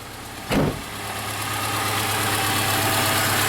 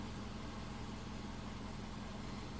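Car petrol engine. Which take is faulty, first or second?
first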